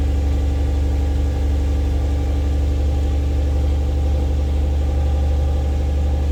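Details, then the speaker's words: Mercedes C-Class swapped to a 3UZ-FE V8, cold start after 4 months standing, battery at 11.5 V: a smooth, deep, even idle with a steady low thrum and no knocks or stumbles. It started without issues. Normal idle. "Dam it starts after 4 months without any issues that's crazy"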